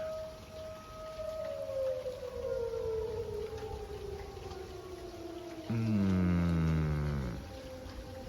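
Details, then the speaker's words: Tornado siren around 3 a.m. in light rain, false alarm: long wailing tone slides steadily lower in pitch and fades out as the siren shuts down. "sounds like they're shutting her down false alarm but you can go back to bed now"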